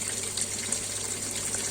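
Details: Washing machine under repair for failing to spin dry: water fills with a steady, even hiss and no chatter or hammering, so the inlet is normal; motor also normal, and the technician plans to replace the water level sensor.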